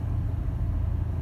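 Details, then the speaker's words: 2004 Chevy Trailblazer that was throwing code P0128, after a fan clutch replacement: steady low engine hum with an even fan rush and no roaring or surging; the new clutch picks up and holds fan speed near the desired value when throttled. "Okay, there it is. I heard it pick up. So when I hit the throttle now, it's it's maintaining a fan speed"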